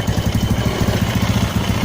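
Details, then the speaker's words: Carbureted motorcycle engine idles with low, slightly uneven putters, still sputtering with the air screw opened one turn from fully closed; idle starts to rise as it is opened further, ideal about 1.5 turns. "putaran masih berebet ya ya kita buka lagi setengah nah mulai agak meninggi ya"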